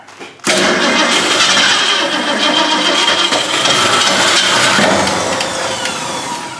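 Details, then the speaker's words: 1965 Ford Mustang barn find, sitting 15+ years, gas poured in carburetor: starter grinds engine sluggishly and unevenly, fading without catching; battery or terminals suspected, battery to be recharged. "what's up with this battery uh terminals yeah batteries had it all right gotta put the battery in charge see what goes from there"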